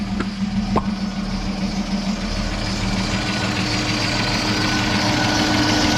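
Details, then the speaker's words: EF Falcon bought cheap off Marketplace, just started after refuelling: idle with a light top-end hydraulic lifter tick and a steady squeal from the front belt that makes it sound worse; belt squeal still heard while driving. "going for a drive now guys in the Beast the only thing I can hear is the squeal from the belt you can't even hear the lifters w"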